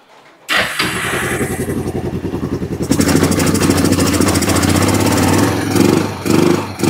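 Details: Kawasaki Bayou 300 ATV, parked about two years, first start after carburetor cleaning with aftermarket carburetor; cranks, catches within a second, settles into steady single-cylinder running with a few throttle blips, no smoke.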